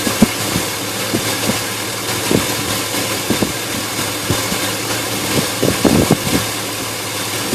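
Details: Engine at idle with irregular thumps and uneven beats breaking up the low hum; rough idle, cause not yet determined.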